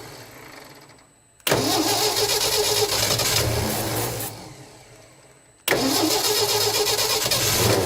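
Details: 1967 Ford F-100 with 240 engine, first start after 30+ years, low on fuel, carburetor likely gummed and leaking at the accelerator pump: two bursts of ragged stumbling running, barely holding idle; rough running, owner suspects fuel delivery.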